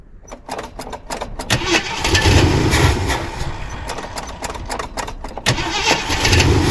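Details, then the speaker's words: 1979 Jeep Cherokee, AMC 360 V8, sat 3-4 years unstarted; cranks, catches and stumbles, sputtering unevenly and fading instead of idling; won't keep running. Owner suspects low, bad-looking gas in a plastic jug tank. "What? Alright guys, I can't keep it running."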